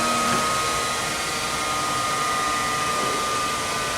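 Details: Chevalier FSG-1236AD 3-axis hydraulic surface grinder with the big wheel fitted, spindle running again with the hydraulic oil off: smooth, even whir with a clean steady high tone and no knocks or rumble; the spindle is running healthy.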